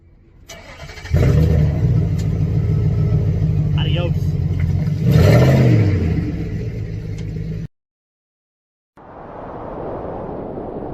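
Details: 2010 Freightliner Cascadia, Cummins engine, after fixing no-start from faulty PNDB: cranks briefly, catches cleanly, steady low diesel idle with one short rev; starts and runs normally.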